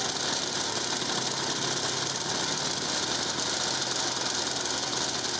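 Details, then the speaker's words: 1950s Ransomes 20-inch Antelope Mk1 lawnmower, 98cc two-stroke, started with a drill: thin, rattly high-pitched buzz, little low end, slightly uneven beat, won't idle; very low compression, probably needs piston and rings. Cause suspected, not confirmed. "okay that was quite scary doesn't want to idle let's try that again ah damn it"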